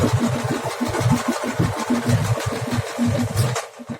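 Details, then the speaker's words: Beko tumble dryer running with heavy rhythmic thumping, rumbling and shaking, about four knocks a second, that developed recently; the bearing-type drum support roller was found shattered, possibly from long-term use. "Beko kurutma makinesi bu makine çalıştığı zaman son dönemlerde ciddi anlamda ses yapmaya başladı"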